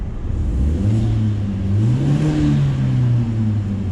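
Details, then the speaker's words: Hyundai Genesis Coupe 2.0T just fitted with an AEM cold air intake: engine revs up and settles twice with rising, falling tone and a faint small-turbo whoosh over the intake roar; healthy turbo engine revving. "it does this little it's you oh it's it's it's cute and it's funny"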